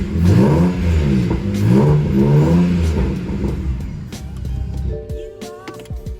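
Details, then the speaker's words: BMW 335i bought as non-running, engine test: clean rising and falling revs that pick up and settle without stumble or knock, over background music; idling fine, engine sounds healthy. "so i'm just going to go ahead and uh give it a few more revs for you guys and then we'll call it a day"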